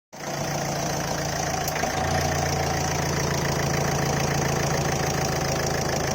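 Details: Ford Figo 1.4 TDCi Duratorq diesel idling cold: fast, uneven static-like ticking over the clatter with occasional misfire; it vanishes at normal temperature; no smoke, sometimes hiccups under heavy acceleration.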